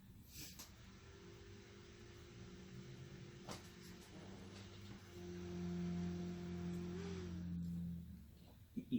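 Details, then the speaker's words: AMD Ryzen 5 2400G build on replacement ASRock A320M PRO4 board, 16GB DDR4-2400, testing one RAM stick per slot: faint fan hum spins up about three seconds then cuts out; reaches BIOS briefly then powers off, CPU cool, cause unconfirmed. "It went to BIOS for a second and turned back off. That's the first time I actually got it to do with one stick. So it goes into the BIOS and then turns back off."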